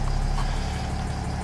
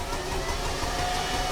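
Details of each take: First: 2008 Mercedes ML 320 CDI diesel, a crank-no-start that had the wrong undersized battery, after charging: starts and settles into a steady, even idle with a smooth low rumble, no misses or knocks; normal idle. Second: 2008 Mercedes ML 320 CDI diesel, cranks but no start (after plastic smell on drive): steady starter cranking with even compression pulses, never catches; rail pressure reads far too low, electric fuel pump not running.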